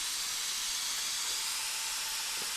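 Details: Compressed-air pressure test of a setup with a paper gasket replacing the factory multi-layer steel gasket: a steady high-pitched hiss with nothing low underneath. Air leak at the gasket, which is leaking slightly.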